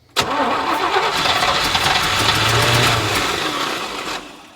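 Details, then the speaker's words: 1986 Chevrolet K30 dually, first start attempt after sitting, pump must push water out of lines: steady cranking about three turns a second for four seconds, never catches; cranking no-start from fuel starvation. "Well, It's going to take a minute to pump that gas. yeah. It's got to pump all the water out of those fuel lines too that were just laying back there."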